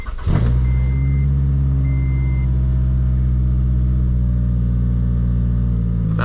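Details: 2012 Scion tC petrol engine with open air filter and exhaust, battery at 12.4 V, started cold: settles into a steady, even idle with a deep exhaust note; normal.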